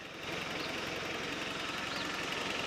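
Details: Toyota 22RE rebuilt engine in truck, first fire after final assembly, oil and coolant topped up: steady, even idle with a smooth unbroken hum, no knocks or misses; healthy running.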